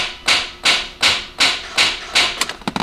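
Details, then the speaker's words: BMW 540i with a newly installed starter: sharp, steady solenoid clicks about two and a half times a second with no cranking, caused by a dead battery. "it's going crank hear that starter the sonoid clicking you hear that yeah this is dead"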